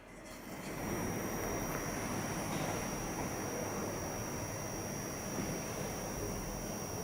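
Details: MANTIS light: once switched on it settles into a constant high whining buzz with a steady hiss underneath; cause unknown.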